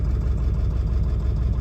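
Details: Ford 7.3L Powerstroke diesel, previously cackling with cold/hard starts, now idling after replacing a bad new ICP sensor (failed after 50 miles); deep steady idle, slight unevenness, no lope, cackle or miss, not the smoothest but acceptable; injectors a touch lazy.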